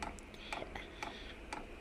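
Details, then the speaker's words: Eberspächer Airtronic D2 diesel heater that only smokes and fails to start: sharp even ticks about twice a second with no burner roar; dosing pump drawing air in the fuel line. "and actually actually right away we can see that we are pumping air so uh i will stop and uh prime the pump"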